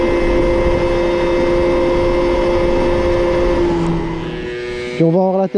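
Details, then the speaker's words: Moped/scooter (MBK) two-stroke after carburetor leaned out (free-flow air filter had enriched it, limiting it to 30 km/h), now reaching 70 km/h; clean steady high buzz drops off smoothly and blips again without stumbling. "je lui ai juste appauvri sa carburation parce qu'à vu qu'il avait mis un filtre servait enrichi et du coup sont scooter roulait à 30 comme tu l'as vu"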